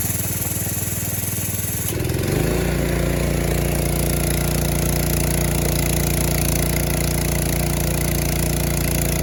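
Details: Compressor pump started after compression release unloaded the pump so the starter isn't fighting parasitic load; catches after brief crank into a steady, even smooth beat, no misses or knocks; normal running.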